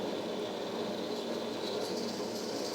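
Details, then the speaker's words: Presto 23-quart pressure canner converted to a weighted gauge, with the 5-lb regulator on and the dial reading about 6: a steady steam hiss with a fast, even rattle from the weight, a normal jiggle showing it holds pressure. "Okay, so that sound that we're hearing right now, that's perfect jiggle right there. That is a perfect jiggle."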